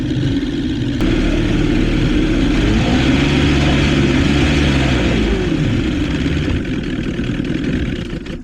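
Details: 1977 Johnson 115 outboard on the water gives an uneven, surging drone that wavers and stumbles; ignition misfire, owner suspects several coil packs bad (only one replaced earlier) and plans new CDI and four new coils.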